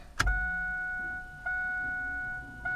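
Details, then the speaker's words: 1996 LT1 Camaro with a new Aeromotive Stealth 340 in-tank fuel pump, about an eighth of a tank, at key-on: a steady, even high electric hum switches on and holds a clean pitch; pump priming normally. "you hear that fuel pump kick on look at that"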